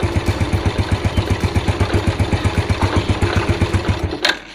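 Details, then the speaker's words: Yamaha Vega ZR after repair of its sputtering (brebet) problem, ignition cables checked OK: even, regular putt-putt with no stumbling or popping; the first pull-away is smooth and the bike feels light. "mas bro tarikan pertama anteng motor terasa enteng juga oke sepertinya"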